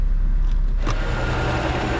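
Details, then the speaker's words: Volvo S80 3.2L, about 93,415 miles, idling in gear: heavy low rumble and rough grinding vibration, louder in reverse, from a broken engine mount letting the engine rattle around. "yes that right there that broken mount what it's doing is this engine is rattling around and vibrating and that's the grinding noise"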